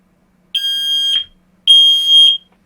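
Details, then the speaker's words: Standalone smoke alarm, not interlinked, sounding normally on detecting smoke: two loud, high-pitched beeps, each about half a second long. "now we all know that when one of these goes off it's detected smoke and as such it makes a noise like this"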